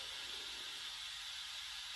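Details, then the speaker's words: GMC General truck with Detroit diesel, air system after new Bendix governor (previously stuck at 40 psi): steady high-pitched hiss with no low rumble, compressed air leaking away while watching the gauge. "So yeah, we've got some air here. Definitely leaking away here."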